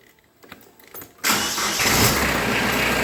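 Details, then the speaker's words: 2010 Kubota B3030 diesel tractor at 400-hour service, safety start circuit check: won't crank with PTO on or in reverse, then in neutral with PTO off it starts at once and settles to a steady even idle; circuit good. "there we go so that's working that circuit is good"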